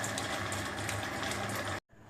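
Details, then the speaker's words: 1 HP single-phase water pump motor after replacing busted 20 MFD running capacitor (previously ran slow, no water): steady even hum, smooth whirr, no rattle or grinding, water flowing; normal running. "வாங்க இப்போ on பண்ணி பார்க்கலாம். தண்ணி வரது உங்களுக்கே தெரியும்."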